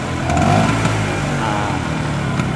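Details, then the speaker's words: Vespa Super 150 two-stroke scooter, pre-touring health check: crisp buzz picks up instantly on throttle and settles cleanly, no delay, stumble or misfire; healthy engine. "Kalau kita gas, nah suara mesin halus. Ketika ditarik gas juga dia langsung ngegas, nggak delay dulu, nggak berebet dulu, langsung narik."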